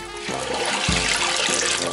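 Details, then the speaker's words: Toilet tank refilling after shut-off valve and flapper replacement; water hisses in uneven surges, filling then stopping repeatedly, taking a long time to fill; cause of intermittent refill not yet known. "You see how it fills and then stops, fills and then stops."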